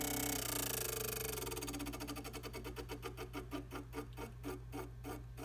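Sharp ticking that starts fast and slows as it spins down, around four a second, over a low hum; a rhythmic click from the trainer.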